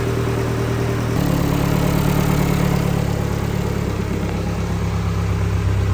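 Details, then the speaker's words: 2022 Vanderhall Venice GTS after engine rebuild, first start on new battery, no coolant so brief run, oil at bottom of dipstick: steady, even idle picking up slightly and holding, no knock, tick or misfire; runs healthy. "right you know what that means we actually put this engine together correctly we've got no coolant so I can't run it for long sounds good"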